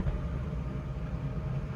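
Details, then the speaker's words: Volta EV1 small electric car, 72V architecture, after fitting a 72V 100Ah LiFePO4 battery (24S) and servicing a motor that had taken in water, driving at 95% charge: steady low road rumble, no knocking, grinding or whine; normal driving, no problems. "Araçta herhangi bir problem yok. Şarjımız %95."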